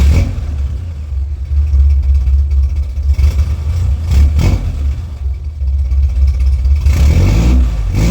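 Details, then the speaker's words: D50 with a newly built homemade muffler: a deep, even exhaust rumble rising and falling through repeated throttle blips, with no rattles or leaks. Similar at idle but sounds better overall. "Alright. I think it sounds better. I think it kind of sounds similar at idle."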